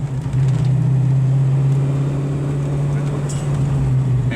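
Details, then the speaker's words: 1986 Mustang V8, TrickFlow heads, 19 lb injectors, 5/8 stainless shorty headers, 2.5in x-pipe, Flowmaster American Thunder mufflers: deep, steady, smooth cruising rumble with no misses or rattles; healthy exhaust note. "sounds really good that gives you that old-school fox-body flowmaster yeah this thing's gonna be a beast when we get a gear in it"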